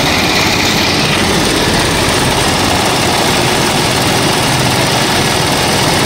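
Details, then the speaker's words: Rusi Chariot 175 tuk-tuk used for hauling water, idle set high and lowered with a screwdriver, battery weak: loud harsh clatter with no clean rhythm, engine far noisier than normal, cause undetermined; advised return to Rusi for tuning. "Parang may problema nga. Makina balik mo sa Rusi. Ipatunong mo sa kanila."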